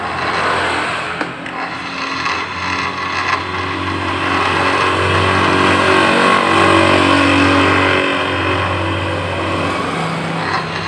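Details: Suzuki Nex automatic scooter running with the CVT cover open; a rough, rattly whirr, the same as with the cover closed but louder without damping, from a worn CVT bearing.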